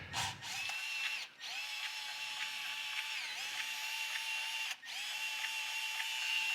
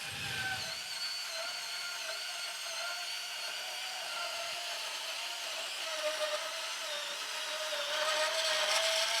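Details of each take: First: Newly unboxed Milwaukee cordless sub-compact band saw running free: steady high motor whine with a faint rubbing, scratching hiss. First thought to come from one wheel, then traced to the other wheel. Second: Milwaukee cordless subcompact band saw cutting steel; even motor whine holds pitch while blade rasp grows through the steel then stops cleanly; healthy, clean cut.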